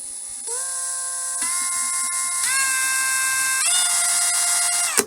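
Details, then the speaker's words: Ryobi R18PD5 brushless drill/driver in screwing mode, forward: motor whine climbs in five clean, distinct steps as the trigger is pulled, each speed steady; microcontroller stepped speed control, normal (reverse is continuously variable). "there are five distinct speeds as i pull the trigger"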